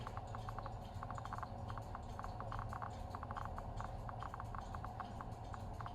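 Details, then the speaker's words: Victoreen CDV-700 6B civil defense Geiger counter, second tube with check source: crisp irregular clicks several per second; tube works, no pin swap fix needed. "there is clicking so didn't have to do that pin swap thing after all"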